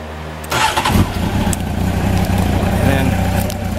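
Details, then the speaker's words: 1993 Honda CBR900RR, brought back from museum storage, cold start on choke after dyno jetting: starter catches in half a second, settles into a steady slightly fast choke idle; normal cold start. "one of the benefits of the exhaust and the rejecting on a dyno is that you can start the thing off and start it up cold and within a minute you can be have an idle team without the choke"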